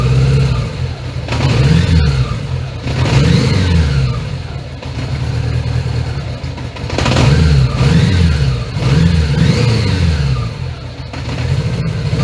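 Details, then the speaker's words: 1980 Honda Gold Wing GL1100 flat-four with overhauled carbs, just after tightening sync-screw lock nuts: revs swell and sag every couple of seconds and never settle; sync knocked out, won't hold idle. "doesn't seem to want to idle."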